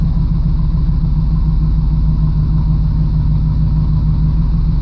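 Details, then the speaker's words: 1989 Camaro IROC-Z cold engine starting after priming the fuel system and replacing the fuel filter and pump to fix hard cold starts; settles into a smooth, even low rumble with no stumble, running smoother than before. "so I'm going to turn it over and see if this works it's cold but it starts"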